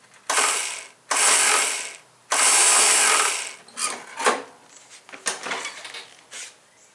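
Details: John Deere STX38, Kohler Command 13 hp engine, after welding a molded-rubber part: two one-second bursts of high free whirring, engine not turning over; starter spins but drive never engages; owner suspects a snapped spring in the starter.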